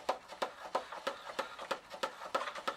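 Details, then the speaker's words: Batavus Barcelona bicycle upside down, cranks turned by hand after a fall: regular light scraping ticks about three per second following crank rotation; damaged chain case rubbing; bottom bracket also suspected faulty. "the chain case started rubbing like crazy. And that is very annoying."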